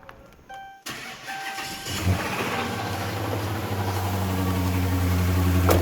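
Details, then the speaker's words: Dodge Charger Hemi with electronic throttle: it cranks, catches and idles with a dull, regular low knock about three per second. A bottom-end (rod bearing) knock is suspected; replacing the MDS solenoids won't fix it. "when you rev this thing up you can hear that bottom in not extremely loud"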